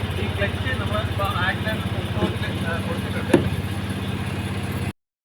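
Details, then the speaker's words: Maruti Suzuki Alto with low pickup after earlier head work, climbing a slope at full throttle with the clutch fully engaged. A low, labouring drone never picks up, and the engine nears stalling; ignition timing is off. "നമ്മളിപ്പോ full throttle കൊടുത്തിട്ടുണ്ട് clutch പൂർണമായിട്ടും engage ചെയ്തിട്ടുണ്ട് ശകലം കൂടി എടുത്തു കഴിഞ്ഞാൽ വണ്ടി of ആകുന്ന ഒരു കണ്ടീഷനിലേക്ക് വന്നിട്ടുണ്ട് വണ്ടി കേറുന്നില്ല"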